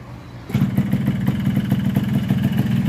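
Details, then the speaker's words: Recently bought Yamaha RX King two-stroke: engine picks up sharply, then runs uneven and rough with no power on climbs. Wrong porting left the exhaust port too wide, so the block and head get replaced; throttle cable also too long. "ini ada RS King baru beli dengan harga R juta tapi bunyi sedikit kasar dan tenaganya tidak ada sama sekali jadi ditanjakan itu gasnya itu kosong"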